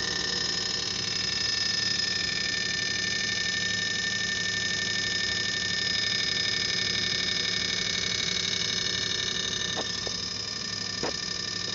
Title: Crappy LG linear compressor rattling , failed compressor noise